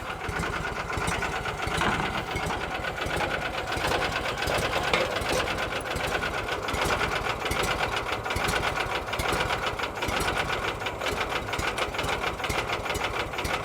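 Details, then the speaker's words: 1986 or 87 Argo Magnum after a fuel system cleanup: slow, steady ticking idle with even pulses and no misses or knocks. The idle is probably set low so the clutch doesn't engage and gears don't grind when shifting; healthy. "and uh yeah that idle is pretty low but uh I think there's a reason for that I think it's set up that way so that the clutch doesn't engage and uh create a bunch of gear graining when you're uh shifting from neutral to reverse slow or high"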